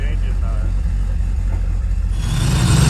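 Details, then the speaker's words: Freshly rebuilt supercharged 302 (5.0) on a Terminator X EFI system, first run while still being tuned: loud, low idle with an uneven beat and occasional soft pops (spitting). The ECU says it is learning, but the popping isn't changing; cause unconfirmed. "i'm tuning it but she's all back together running like i don't know if you can hear it but popping it's learning it says but it ain't changing"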